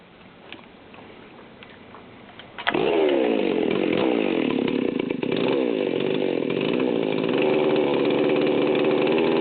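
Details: Stihl 038 Magnum chainsaw, fully assembled, idle target about 3,000 rpm: fires up then pitch sags and recovers in an uneven, blubbery idle that nearly dies, needles backed out too far; low-speed mixture far too rich, about 2,900 rpm.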